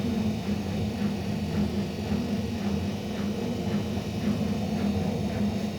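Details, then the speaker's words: Ariston washing machine during spin: deep roar like a train or plane building with speed, rolling rumble pulsing about twice a second, whole machine shaking; cause still unknown. "Как поезд, как самолет такой звук, да? Как самолет, это точно."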